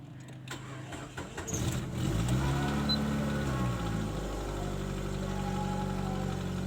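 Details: Nissan Wingroad after replacing the cam and crank sensor wiring to the ECU, which had caused no injector pulse or ignition coil signal: starter cranks briefly, catches at about two seconds and settles into a steady, even idle at normal rpm; starts cleanly.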